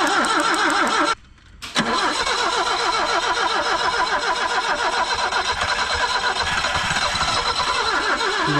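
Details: 1974 BMW 2002, sitting 30+ years and running on its 30-year-old gas; uneven cranking, then it catches and sputters, missing and stumbling without settling to a steady idle.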